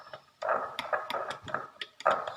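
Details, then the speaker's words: AQ-T400 900 W two-channel car amplifier, bench-tested on a 17 A SMPS into a 12-inch 500 W speaker. Irregular scratchy crackles and pops cut in and out as the low/high/full filter switch moves; a broken resistor and dry solder joints in the switch circuit. "ආමුතු සද්දයක් එනවා නිකනුත්. මම හිතන්නේ sound එක ඇහෙනවා ඇති. ඉතින් මේ switch හෙලවෙනකොට ආමුතු සද්දයක් එනවා."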